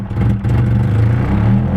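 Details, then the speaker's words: KA engine that had been running rich: idle struggles, sags and wavers then dies, with a strong petrol smell; stalling at idle, fuel pressure regulator suspected and being replaced. "it goes again and it's dead and it smells a lot"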